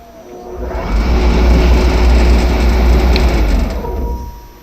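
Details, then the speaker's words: Variable frequency drive running a three-phase motor, after braking warms the heatsink: low blower whoosh swells over about a second, holds, then fades as the drive's heatsink cooling fan cycles on normally. "so that's what the cooling fan is designed to do is to basically keep the heatsink cool so drive stays healthy and runs cool"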